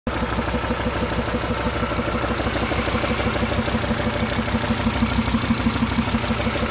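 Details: SsangYong Rexton engine at steady idle with a regular knock about three per second over the rumble; engine knock of unknown origin.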